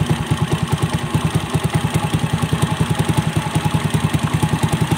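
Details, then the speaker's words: Pushrod-type single-cylinder engine idling steadily after restart, about three and a half even beats a second, following carburetor air and fuel screw modification and side-gapped spark plug; improvement confirmed, though an exhaust leak may cause popping on deceleration. "ayan guys, may improvement na sa ginawa nating modification sa carburetor, sa air and fuel screw at saka sa side gapping ng spark plug."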